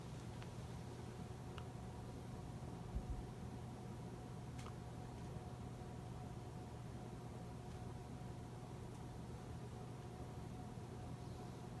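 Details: 2004 Casablanca 19th Century 54-inch ceiling fan, XLP-2000 motor, Inteli-Touch control using resistors for speed and capacitor for start windings: quiet steady low buzz under soft blade whoosh during speed changes; motor buzz attributed to resistor speed control.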